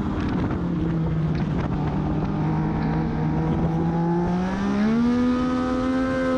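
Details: Race car at Charlotte on track, correct gear, accelerating out of turns: engine pitch climbs smoothly but the car barely gains pace, revs running away under load; the owner later found a clutch issue. Clutch slip.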